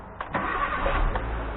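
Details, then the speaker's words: 2008 Nissan Micra K12 1.2 that would not crank, after renewing a bad crimp on the starter motor live wire: a couple of short cranking bursts, then it catches at once and settles into a steady run. Normal engine start. "there we go Happy Days she run and I call that fixed"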